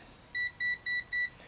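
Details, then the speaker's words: AstroAI TRMS multimeter (M2KOR/M4KOR) on the DC 10 A range with current raised from a bench supply: four short, even, high-pitched beeps a quarter second apart; overload warning, current is over the range limit. "and then listen that you get a beep and overload all right let's try the milliamp range"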